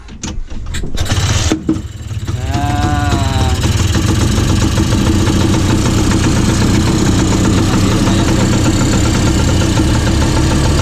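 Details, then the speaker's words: Antique orange Bajaj three-wheeler, two-stroke, kick-started, under restoration: loud, raspy idle with fast uneven exhaust popping and heavy oil smoke from the two-stroke; running normally. "Lihat asapnya ya. Nah, ini karena 2 tak, olinya banyak ya. Nah, ini suara knalpotnya seperti ini."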